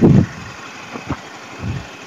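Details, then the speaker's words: Yamaha Mio M3 after the clearance repair, timing belt (CVT drive) fitted, which previously brought out a tok-tok knock: low, even idle with a few soft thumps and no knocking or tapping; the engine is running smoothly. "kayaknya halus nih Bro ya halus Oke Biasanya kalau timing muter memarkan bunyi ya tepat itu Ini udah nggak lagi udah normal"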